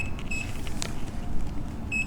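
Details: Nikola Plus 100V 1845Wh electric unicycle at end of range test, about 64 miles after 4 hours of riding, around 6 mph in steep tilt-back: two short shrill beeps a couple seconds apart over road rumble, the low-battery warning.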